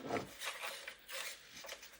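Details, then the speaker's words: XK Skyreaper A310 micro RC biplane on a 2S 500 mAh LiPo, held by hand after throttle arming: quiet irregular raspy buzzing bursts as the servos twitch under the automatic stabilization system, which is normal. "As I move the model, these control surfaces move to make it smoother and stabilized while it's flying."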